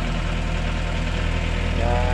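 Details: Mitsubishi L300 diesel started after starter motor service: even, low diesel clatter at a steady beat with no misses or hunting; engine idling normally, starter repair successful.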